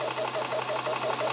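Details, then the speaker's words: WULF PCP air compressor switched on to fill via bottom motor button: steady motor hum with even pumping beat about six strokes per second, unit shaking a fair bit, which is normal; pressure climbing; normal compressor running. "so all we do is motor on that bottom button there and you'll hear the motor turns on as you can see it does start shaking a fair bit that's normal"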